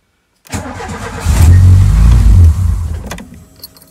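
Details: Renault GT Turbo after fuel pump and tachymetric relay (Cartier 2374) repair, choke fully out, in neutral; short cranking catches quickly into running engine that settles toward idle; normal engine start.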